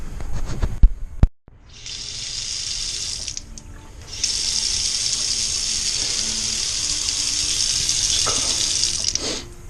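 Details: House with a new gas water heater and new water lines, testing the cold water supply at a sink. Steady, full hiss of water with a couple of brief breaks; the faucet flows freely and normally.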